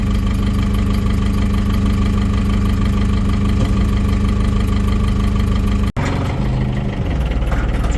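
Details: Gradall excavator diesel at steady idle after a breakdown in -8° weather, restarted after cranking; regular low chug about three beats a second, even with no misfire, now running fine.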